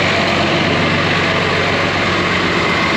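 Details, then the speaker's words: Case 5230 tractor diesel running but won't drive: steady idle under load with no drive take-up, transmission not engaging because a wire came off the cylinder relay; wire being jumped to test. "Christoph, I already had it moving, so it's not gonna drive. So Christoph's gonna jump that wire."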